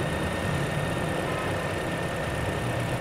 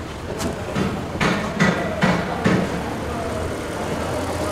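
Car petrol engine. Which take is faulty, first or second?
second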